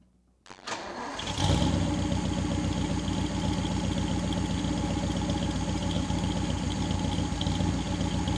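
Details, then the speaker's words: 1959 Daimler SP250 barn find, cold engine start: brief crank, catches at once and settles into a steady, even idle with a smooth low beat; healthy cold start, car runs and drives well. "so the engine's cold on the car um I want to show you how well the car starts up let you hear it run a little bit"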